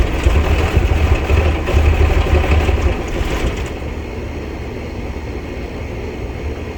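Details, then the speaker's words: 1990 Blue Bird bus with turbo Cummins diesel, fuel system just bled, battery charged: big diesel fires and drops into steady low idle chug about four beats a second; runs better, throttle still not working properly. "As you can see, and the throttle's still not doing its thing, but it runs better, that's for sure."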